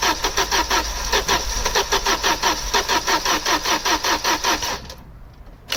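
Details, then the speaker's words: Opel Omega A GLS 2.4i CIH estate parked in a barn since 2003, fresh battery, spark and fuel confirmed: steady cranking about 2.5 turns per second with no firing; cranks but won't start. "It's got spark and it's got fuel. Let's see what happens this time."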